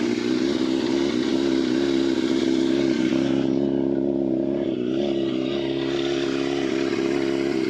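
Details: Yamaha FZR 600 four-cylinder, restricted to 47 hp, cold start on choke before de-restriction: even, steady hum at raised choke idle with no knocks or misses; normal cold start.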